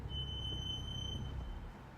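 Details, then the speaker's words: BMW M235i braking in stop-and-go traffic with a steady high-pitched squeal over road rumble, still squealing after caliper/brake grease on front brake metal contact points; rotor cleaning with brake cleaner planned next. "gonna try to grease him again but as of now I'm still driving a squeaky as BMW"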